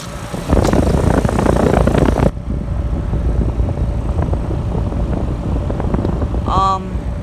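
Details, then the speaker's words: 2022 Trane XR14 3.5-ton heat pump outdoor unit in cool mode, self-started, camera on unit: steady low rumble and fan whoosh settling to an even drone; running normally, lines already cold and sweating. "Wow, this is looking great. Sounds really nice."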